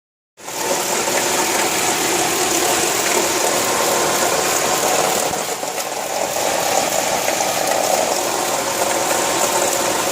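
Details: 1995 Nissan AD Y10 with swapped SR20DE idling: harsh, gritty grinding and rattling whirr running steadily from a worn alternator bearing, alternator mounted low in the engine bay.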